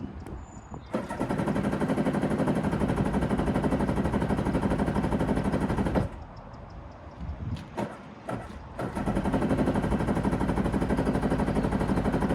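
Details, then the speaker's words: Sea-Doo XP two-stroke jet ski, first start on the trailer with no water hooked up, run briefly: catches with a fast, crisp buzz, dips out briefly, then picks straight back up; even, healthy two-stroke that sounds lovely. "but that sounds lovely"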